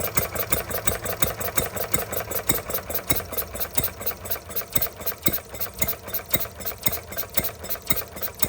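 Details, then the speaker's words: Stirling Kits Retrol G16 model stationary gas engine on its first start, throttled down to low revs after flooding; water pump not yet primed. Crisp, even firing about three to four beats a second, steady and unhurried: normal running at reduced speed. "Just slow it down with that. The throttle. Well, I think it runs well."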